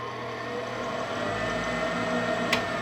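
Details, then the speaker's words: Tempstar furnace with a newly fitted used replacement draft inducer (old one hummed with power but would not spin; seals improvised), run without firing: motor spins up to a smooth, steady hum, no rubbing or rattling; healthy. "it sounds good and we're uh let that seal up and then when the people come home they hide fire enough and it should run all right"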